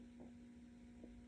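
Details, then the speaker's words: Old catalogue guitar during neck removal with newly powered hot knives: faint, steady low electrical buzz at one pitch with soft bumps, heard when the two hot-knife wires touch; whether this is harmful is unknown. "Suddenly they start buzzing when they touch each other. I don't know if that's good or bad."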